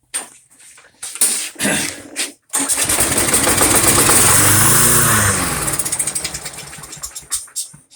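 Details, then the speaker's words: Briggs & Stratton Quantum Craftsman mower after storage with old fuel, primer only: fires and runs a few seconds on primer fuel then slows and dies; fuel in bowl but suspected clogged main jet not feeding it. "So it ran momentarily on the fuel that we pumped up through the primer feature, but it didn't continue to suck the fuel from the fuel bowl to keep it running, right?"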